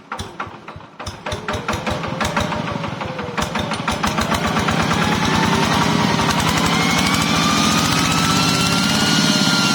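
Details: Yanmar TF105LM single-cylinder diesel tractor that revved by itself and would not stop, governor stuck or worn, after a temporary fix. It fires in an even beat of about four a second and settles to a clean, stable run; problem gone.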